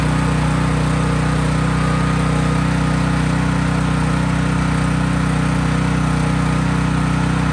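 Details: Craftsman 5000-watt generator just after a cold start: steady even drone at constant speed, no hunting, surging or knocks; running normally.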